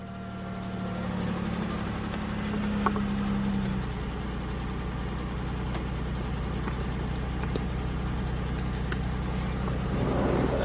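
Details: GM car that had a P0300 random misfire, after fitting a new fuel pressure regulator, an oil change and clearing codes: steady, even low hum at idle with no stumble or skipping, running smoothly.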